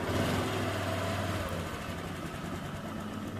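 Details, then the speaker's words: Honda Vario 125 scooter engine, freshly rebuilt, running after assembly while setting idle: smooth, even idle with a steady low putter and no knocks or rattles, smoother than at first start; normal idle. "sudah halus kembali beda dengan yang pertama kalinya teman-teman"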